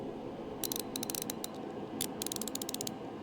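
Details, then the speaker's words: New Tang ratchet swung back and forth: crisp, even bursts of fine rapid clicks with no grinding or skipping; a healthy ratchet pawl. "Tactile feel. How how that thing clicks. That click needs to be pleasing to the ears."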